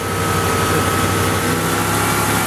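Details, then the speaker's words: 1986 Ford LTD Crown Victoria LX, 5.0 Explorer engine with GT40P heads and A9P computer, during KOER cylinder balance test cutting injectors one by one; lumpy V8 idle and changed exhaust note, one cylinder completely dead, hood shaking. "how the exhaust note changed that's basically what a misfire sounds like one cylinder is completely complely dead"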